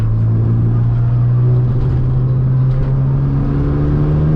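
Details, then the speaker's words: Honda Integra on a new tune, cruising on a rainy day: a steady low hum of nearly constant pitch drones over road rumble, then soon goes away. Source unidentified. "oh what is that noise bruh oh my god what is that noise"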